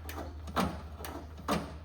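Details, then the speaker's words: Cub Cadet 682 lawn tractor: two brief rasping scrapes as the throttle lever is worked over a low steady hum; the throttle cable is bent and sticking in its housing, handle loose, so the cable is being replaced. "The reason I I'm not real happy with this throttle, it's sticking a little bit."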